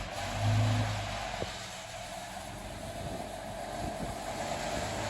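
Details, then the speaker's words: Old Scania airfield refuelling tanker diesel, being started to put away after earlier revival work. A faint low diesel rumble settles to a steady, even idle outdoors; it starts straight away despite its age. "so we'll see if she starts there we go look at that all them years old and on the button"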